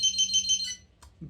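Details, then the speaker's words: BIQU-BX 3D printer switched off and back on: four quick, shrill beeps in a fast even row, then quiet, with all fans off at idle; normal power-on beep sequence. "The one annoying thing that it has is if we turn it on, you're going to listen to this. So I've just turned it off. It's going to beep. And then when we turn it back on, we get a series of beeps that come in."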